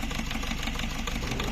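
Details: Ford Figo diesel (same engine as second-gen Ikon and Fiesta Classic) idling with rough, uneven clatter and vibration; misfire from one dead cylinder, found by unplugging injectors one at a time, injector faulty, replacement or serviced used injector needed.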